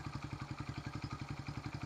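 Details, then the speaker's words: 1974 Honda XR75, after timing checked on the mark and carb/coil work, valve clearance raised to 4 thou: steady, even idle about eleven pulses a second with light valve tick, still smoking; normal idle. "that's idling where it's supposed to be."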